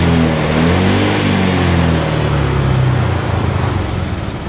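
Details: Honda Vario 125 injection scooter after fixing a rough-sounding engine by replacing the valve rocker arm: engine revs up and settles smoothly, no rough clatter over the exhaust note; normal running after repair.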